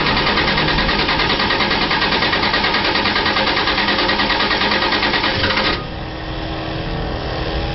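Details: Engine cranked at 38°F in mid-December 2010: starter turns over fast and regular for about six seconds, sputters slightly but never fires; won't start on its own below 50°F. Cold no-start.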